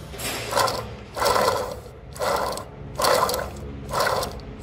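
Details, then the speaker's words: 2003 Toyota Hilux 3.0 naturally aspirated rear differential: removed, washed and dry small pinion bearing spun by hand gives repeated rough, gritty rasping bursts, showing it is worn. "geralmente é um rolamento pequeno do peão moça que dá problema né e olha o barulho do rolamento tudo bem que tá seco e lavada mas olha o barulho"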